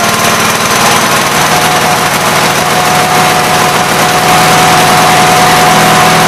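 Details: Gravely 8163-T single-cylinder tractor after a carburetor swap, new air cleaner setup and PTO adjustment: a fast, even chuff at a steady speed with no misses or knocks, running healthy.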